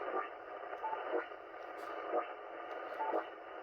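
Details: 80 m amateur band (about 3.5–4 MHz) receiver: dense, steady hiss with faint pulsing about once a second that wipes out the whole band and comes and goes; strong interference from an unknown source.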